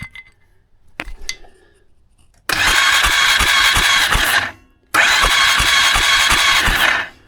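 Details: Starter cranking on an abandoned 2001 Polaris Sportsman 500 HO after restoring spark, the fix apparently the CDI: two bursts of about two seconds of steady whirring with a quick chugging beat, no catch yet; normal cranking.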